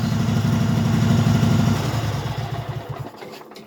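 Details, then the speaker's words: Craftsman hydro tractor V-twin after carburetor cleaning and fuel solenoid replacement: even, regular V-twin lope about four pulses a second, fading as it shuts down; healthy normal idle. "I really do like the sound of these v-twins"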